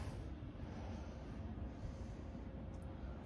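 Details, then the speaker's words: Fujitsu ducted air conditioner indoor unit after its noisy fan motors were replaced as preventative maintenance: only a soft, even low hum with no rattle or scraping, far quieter than before; fans run normally. "all right sweet so that's way quieter now that's running and yeah he's quite a so i could hear it when i was in the hallway before it was just so loud but i'm right next to it now can't even hear it that's legitimately running"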